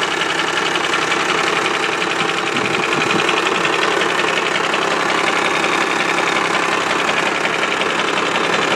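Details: Cummins 12-valve diesel idling: even, sharp knock about three beats a second over the clatter; owner suspects the injection pump, engine knock at idle.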